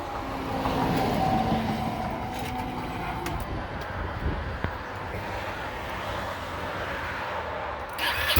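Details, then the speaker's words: 2009 Ducati Monster 696 at startup on the stock exhaust, before the Two Brothers pipe, K&N filter and Power Commander install. Soft, steady, low twin burble with an even beat; a quiet, healthy normal idle. "Sounds like a quiet Ducati. That's about it."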